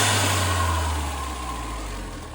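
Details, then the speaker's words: 2010 Hyundai Genesis Coupe R-Spec, turbo 2.0L Theta II, after fitting a GReddy-style FV blow-off valve: brief airy, higher-pitched hiss at the top of the rev, then a smooth drop to idle. Less flutter than the old valve, slight flutter at low RPM. "Seems louder. It's got a higher pitched blow off to it than the other one did."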